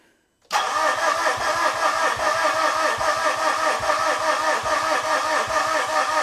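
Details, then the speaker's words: 2013 Mitsubishi Fuso FG 4P10 diesel with CP4 high-pressure pump, injector lines blocked off and bled at the top: steady starter cranking, about two to three beats a second, never fires; fuel reaches the injector lines but one is leaking and rail pressure doesn't build as before, so no start. "Well, that's interesting, huh? We We're definitely getting fuel at the top. That one's leaking, but it didn't build pressure like it did before."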